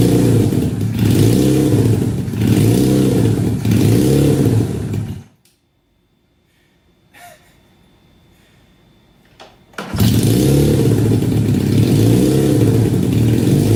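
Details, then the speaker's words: 1968 supercharged Honda CL175 (175cc with 300cc blower), first start in 30 years, garage about 92°F: fast idle surging up and down in slow waves with a brief quiet gap; owner suspects vacuum leak, jetting way off or oversized blower. "Well, definitely wants to idle high. There could be, or there are several reasons for that, but I'll just have to figure that out another day."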